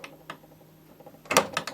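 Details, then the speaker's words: Automaton Florence's phonograph drum: faint ticking, then sharp rapid clacks and scrapes each turn as slightly long, non-countersunk screws hit the speaker pack. "hitting something thanks because these screws are slightly longer the richer need they were not countersunk so they didn't stick through far and they're now hitting the speaker of the pack"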